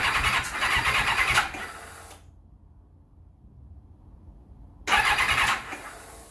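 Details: 1991 Kawasaki ZXR750 turbo build with Motec logger, first starting attempt: two bursts of starter whirring, about two seconds then under one, never fires; owner suspects crank trigger signal interference from coil igniters.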